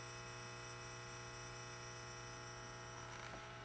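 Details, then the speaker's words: Zenith 24MC32 color tube TV chassis on a test jig during horizontal sweep repair: steady high-pitched squeal over low hum from a weak, singing horizontal output tube arcing inside, with low plate current, low high voltage, dim picture. "singing It's a singing horizontal output tube oh yeah now it's really going listen to its squeal and it's arcing inside"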